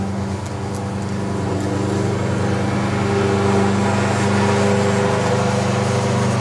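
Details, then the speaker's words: Microwave transformer used as a HV step-up, just plugged in: steady mains drone with a strange buzz, plus a sharper intermittent buzz as needle-nose pliers are magnetized and chatter against the live iron core; working normally. "Now, you plug it in. You can hear this strange buzzing noise."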